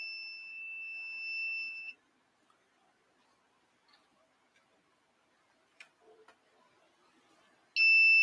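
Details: 3D printer board, possibly damaged in shipping and axes moving wrongly: steady high-pitched electronic beep for about two seconds, stops, then returns; continuous alarm, owner suspects bad board or wrong pins, not confirmed.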